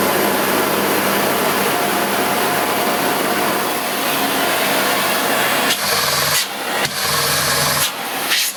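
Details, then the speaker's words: Brand-new Sebo D2 Total cylinder vacuum with new turbo fan motor, turned up to full speed; smooth, even high-pitched rushing roar holding steady, no rattles or surging; normal motor at full speed. "so it's extremely powerful it has a new turbo fan motor that sibo developed for this cleaner to increase the airflow as well"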